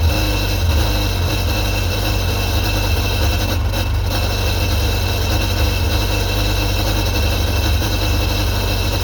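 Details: 2001 Sea-Doo GTX 951 DI two-stroke jet ski after rebuild, running on the flushing hose: loud, steady, busy idle holding even with no misses or knocks; normal idle, running fine.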